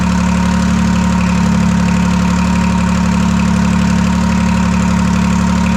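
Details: Detroit 3-53 two-stroke diesel first start after 25 years, camshaft reversed after a backwards install in its 2000 rebuild: loud, steady idle with even rapid beat, no exhaust fitted, no knocks or misses. Normal idle.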